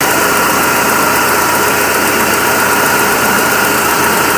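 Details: BMW E46 318 with 1998 M43 1.9 engine: a loud, continuous idle hum with a faint shake and no clear rhythmic miss. The rough idle comes and goes for days and got worse after alternator rework; owner suspects something was disturbed then, cause unconfirmed.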